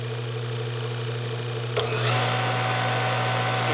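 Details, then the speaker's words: Hydro-Spa Princess hot tub pump on Hydro-Quip CS800-A1 115 V pack, motor very tight to turn: steady hum jumps to a louder, rougher whir at high speed (about 12 A); worn motor bearing, probably damaged by a nearby leak. "so we've got a bearing going bad in it and you can actually hear the bearing"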